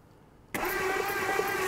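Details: 1959 Edsel Corsair Ford V8, parked 40+ years: starter whirs in and spins the engine with a slow, uneven chug after oil squirted in cylinders and plugs pulled, compression felt, but it never catches; cranking, no start.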